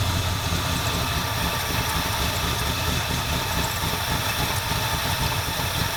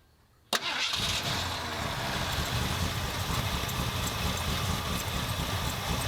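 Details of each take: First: 1977 Ford F250 351M V8, carbureted, Duraspark II ignition, hot, after blocking off vacuum lines: uneven loping rough idle that doesn't smooth out; owner later suspected carburetor dirt and fouled plugs. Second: 1977 Ford F250 351M with Duraspark II ignition, carburetor idle screws about 2¼ turns out after repairs: starts at once, steady even idle sitting a little low, no misses.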